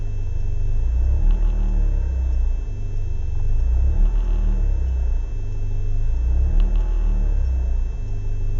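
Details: BMW E36 318is coupe, M42B18: a lumpy idle hunting up and down every few seconds, cold or warm. Smoke and higher fuel use; no leaks found, ICV and MAF already cleaned. Rough idle, cause unknown.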